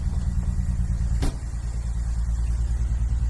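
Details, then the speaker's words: BMW E46 330Ci manual, misfiring since purchase: lumpy, uneven idle stumbling with irregular dips; misfire suspected to come from a slit-cut part causing a vacuum leak, to be replaced. "Like as you can hear it's really misfiring badly. And I think I might know why."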